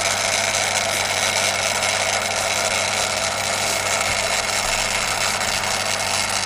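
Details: Daiwa DR-7500 antenna rotator (same as Kenpro KR-400) after refurbishment and upgrades, bench-run on a standard DC-7011 controller: steady, even motor hum with constant whirr, no knocks or grinding; rotator motor running smoothly.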